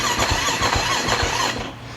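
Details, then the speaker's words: KTM 450SX (described as blown up), just reassembled, battery charging: slow uneven cranking about four strokes a second with wavering squeal, never fires; owner suspects weak battery, unconfirmed. "All right, guys, I got that 450 back together. It won't start. I think it's just the battery."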